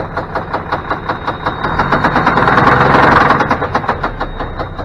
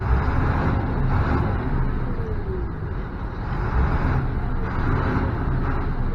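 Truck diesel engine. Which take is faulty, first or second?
first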